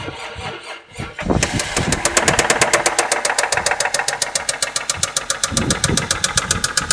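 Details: Toyota Cresta 1993 with 1JZ engine: after a brief crank it fires and a sharp, rapid, steady knock rides over the idle; unexplained knock in the engine.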